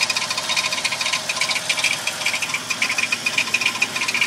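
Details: Toyota Tacoma at idle: light metallic rattle, loose and uneven at about two clicks a second; source not yet found.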